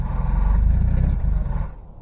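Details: Diesel cold start in cold weather after two glow-plug cycles, one cylinder first cutting in and out from a suspect glow plug, then catching; settles into an even low chug with every cylinder firing. Normal cold idle.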